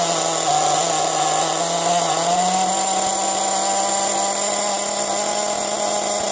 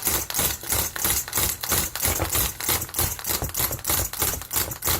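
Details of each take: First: Nitro RC car engine after being unflooded and oiled, restarted: a high, even buzz at steady speed with no sputtering or surging; it runs cleanly. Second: Nitro RC car engine, deliberately flooded: rapid, laboured pull-start chuffs about three a second, sounding wet and stiff and nearly impossible to turn over, never catching. Flooded engine.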